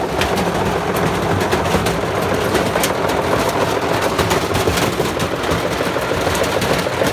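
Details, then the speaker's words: Bosch washing machine; loud relentless banging and rattling over the spinning drum, machine gradually tearing itself apart; drum pounding, cause unconfirmed. "it is it is gradually like tearing itself apart it's pretty grim in there"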